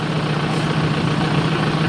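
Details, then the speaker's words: Rebuilt Isuzu Panther diesel (originally white smoke), warm after a test drive with a thermostat fitted: steady, even idle with a low smooth rumble, no misses or knocks, no exhaust smoke at idle; healthy. "asap knalpot gak ada pada kondisi stasioner ya"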